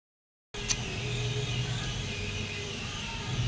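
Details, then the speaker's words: Automatic washing machine after replacing motor bearings to cure noise during washing: steady low hum with even drone, no rumbling or grinding; wash cycle now runs smooth and quiet. "So nagwa-washing na mga ka-wigs at yan ay medyo okay na."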